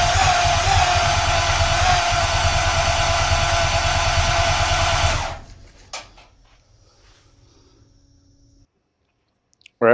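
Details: 1939 Buick coupe with newly installed engine, new headers, fuel lines and ignition, first fire-up attempt: steady cranking about three beats a second for five seconds, never fires; owner suspects low compression, plans oiling cylinders, cleaning plugs, checking timing.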